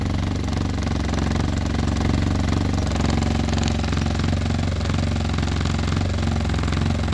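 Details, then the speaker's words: Arctic Cat Norseman, already run that day, with a known shake problem: loud, lumpy idle with a coarse, uneven pulsing throb that never settles; the cause is not found and a fix is planned. "So my buddy Tim's going to come over today with some foam and some goodies, and we're going to try to fix that shake."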